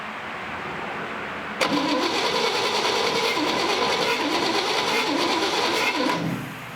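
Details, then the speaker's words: 1958 Chevrolet Apache pickup, small-block V8, barn find stored since 1994: starter churns steadily about three turns a second for four seconds with no firing; no spark at the coil, distributor to be checked. "we need to get spark in and out of that coil and that could just be a number of things let me check into that"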